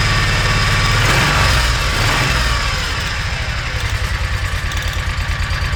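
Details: Kawasaki Mule 3010 after replacing the fuel pump (the OEM pump failed and a replacement fitted in 2013); it runs fast on choke, then settles into an even chug of about three beats per second. Confirmed fix; normal idle.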